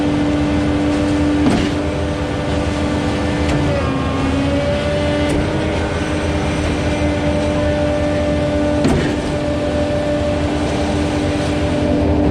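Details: Concord 40 m Z-boom concrete pump plugged on prime: steady hydraulic drone at high revs with a heavy clunk every couple of seconds as the pump is reversed and run forward to clear mud in the line.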